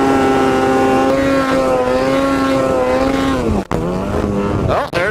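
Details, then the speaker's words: Ski-Doo snowmobile riding in fresh snow, fuel gauge reads full: steady high engine drone sags in pitch and cuts out twice under throttle, stumbling and bogging instead of pulling cleanly; cause unknown. "oh there it is again she's bogging what the heck man it"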